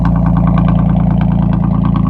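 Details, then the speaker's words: Audi A4 B6 3.0L V6 with straight-pipe exhaust, idling after ECU immobilizer bypass with the alarm sounding from the active cluster immobilizer: loud, deep, even idle with a fast steady exhaust pulse, no misses or knocks; normal idle. "Man, that thing sounds freaking mean."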